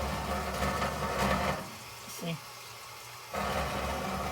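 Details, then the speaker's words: GE top-load washer, model GTWN4250D2WS, agitating a full heavy load: steady low rumbling grind stops when the machine is lifted, then returns abruptly when it drops; worn suspension shocks. "the problem is going to be your shots right here"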